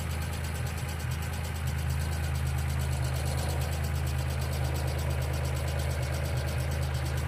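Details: 1995 Geo Metro at steady low idle with a light, fairly quick ticking about two per second, typical of noisy hydraulic lifters; B-12 fuel injection cleaner added to the engine oil before an oil change.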